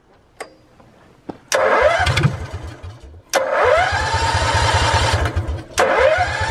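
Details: Generator in a school bus motorhome conversion with muffler visibly disconnected; several starts, then a loud, rapid, even popping Harley-like beat at idle: unmuffled exhaust.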